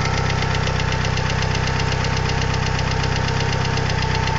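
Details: 2G DSM petrol engine idling with quick, steady metallic hydraulic lifter tick over the low rumble; fixed by installing upgraded 3G lifters made by Topline.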